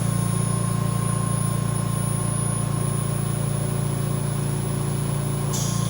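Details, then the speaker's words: VMUS-DG1 ozone generator (double quartz dielectric corona cell) at 100% ozone output: a constant, even, highest-pitch corona buzz with low hum, normal discharge. "Now at 100% ozone production, this will be the highest pitch buzzing noise that we'll hear from the VMUS-DG1."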